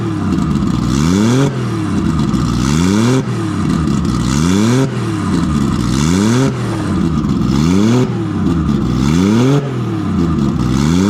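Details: Nissan RB20 after repair of no compression in cylinder 5, traced to a faulty lifter leaving the intake valve sitting low. Repeated clean blips about every 1.5 s, rising and falling evenly on all six cylinders, no misfire or knock. Very loud; normal revving.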